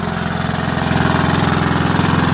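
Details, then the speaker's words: Rebuilt WW2 single-cylinder generator at first start, on its original warm piston after a quarter-choke pull: a steady, even thump at constant speed with no misses, knocks or rattles, and no smoke. Normal running. "is absolutely splendid. And she's not smoking, look. Not smoking at all, even with that warm piston. Wow, there we go, guys. There we go. Absolutely spot on."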